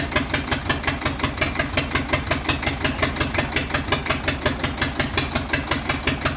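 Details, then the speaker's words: Chinese 4-cylinder diesel for a Shahzore roller, started before fitting to the machine; it was missing, injection pump since repaired and refitted, not yet checked. Idle pounds with uneven beat, sharp thump about three times a second; cylinder missing from pump trouble. "पहले इसको start किया है ये missing कर रहा था अभी इसका पंप बनाया है लेकिन अब चेक करेंगे मशीन पे चेक नहीं किया है वैसे ही फिट किया है।"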